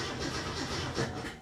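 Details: 1967 Mustang with Holley Sniper 1100 EFI: steady starter churn, about five beats a second, at roughly 10 volts while cranking, with no catch or firing. It cranks but won't start.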